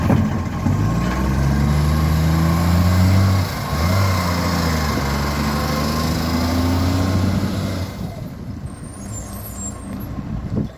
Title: 45 with an exhaust leak